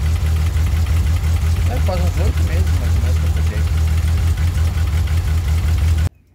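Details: VW Kombi with its spark plugs found to be fine, idling after warming up a little: a low, steady idle with an even beat and no missing pulses, all cylinders firing cleanly.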